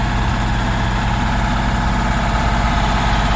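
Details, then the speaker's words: 1966 Porsche 912 engine on a cold start at about 60°F after fixing the fuel line to the filter: idling high with an uneven, lumpy exhaust beat, misfiring; distributor and carb parts still awaited, timing about to be checked. "idling pretty high right now but you can see the oil is coming out but um"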